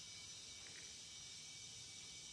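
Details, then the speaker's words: Liquid propane transferred from 20 lb tank into an inverted cylinder: strong, steady, aggressive hiss of gas rushing through the hose, nothing else behind it; flowing well. Normal propane transfer hiss. "i can hear it flowing it's flowing very well i can hear it hissing in there kind of aggressively so it's working for sure"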